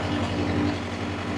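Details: Constant diesel drone with steady mid hum from compressor and fans, no knocks or surging, from a two-compartment trailer reefer in continuous mode rather than start-stop; normal running.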